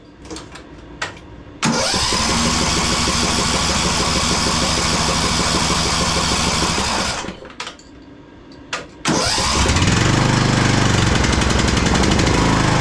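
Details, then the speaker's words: Craftsman DLT3000 lawn tractor after new coil, fuel filter and shut-off valve, jump-started: cranks, catches, runs uneven and lumpy, stalls, restarts and stumbles, backfiring through the carburetor; rough running engine with carb problems. "Wow. It's uh backfiring through the carb right now. So, uh that's not a good sign."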